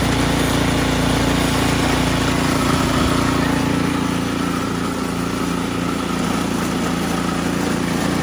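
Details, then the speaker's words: Ariens Sno-Tek 24-inch snowblower, model 920402, 208cc engine, augers not engaged: steady even beat over a constant drone with no knocking or rattle; normal running. "watch how smooth this is"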